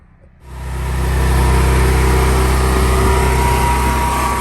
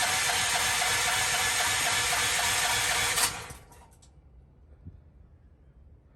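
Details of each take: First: Propane generator starts and settles into a smooth, quiet, even low hum with no surging, misses or knocks. The earlier no-start was traced to the regulator being turned up too high, which shut off gas flow. Healthy steady run. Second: Propane generator, first start since the new tank and line were fitted, tested ahead of cold weather: three seconds of steady pull-start cranking, silence, then more cranking with no catch. No gas pressure; the tank was empty.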